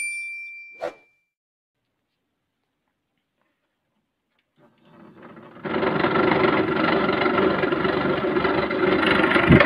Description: loud noise inside / motor fan bearing replace